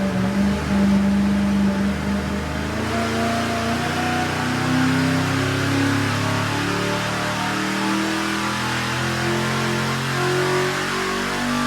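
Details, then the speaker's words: V8 on engine dyno with HEI distributor ignition, about 34–35° total timing, roughly 490 hp and 498 lb-ft: deep drone under load with an uneven stumbling beat; misfire, HEI coil suspected too weak to maintain spark. "HEI, man. That thing, that ignition has a bad misfire. It's just like I Jason's. think the coils in them must not be strong enough to maintain fire or something like that."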